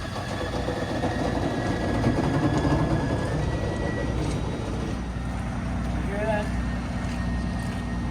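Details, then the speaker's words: Semi truck at idle: steady low diesel rumble with a faint chugging pump beat and no hiss; air compressor charging the tank normally to refill a low tire. "that noise yep charging up the air in the tank there and it'll fill that tire so while I do my paperwork that'll be filling up"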